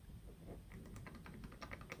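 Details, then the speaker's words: Harley-Davidson Twin Cam top end, rocker worked by hand: quiet, uneven light clicks from rocker-arm play on the side without a rocker locker; the side with a locker fitted is nearly silent. "This side has no locker. You still hear that rattle."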